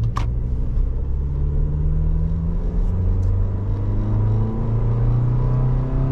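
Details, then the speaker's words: 2023 Toyota Tacoma SR 4x4, four-cylinder, 1801 miles, under hard acceleration. Deep drone rises smoothly in pitch with no knocks, misses or rattles. Normal. "all right here we go I'm gonna kind of gun it"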